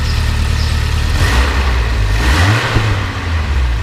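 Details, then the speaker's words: 1985 Alfa Romeo Spider Veloce, straight cold start: deep steady idle that swells cleanly on a light throttle blip and drops back evenly, no smoke; healthy rev response (stalled once revving cold). "But runs really good, runs smooth, sounds good, doesn't blow smoke or anything like that."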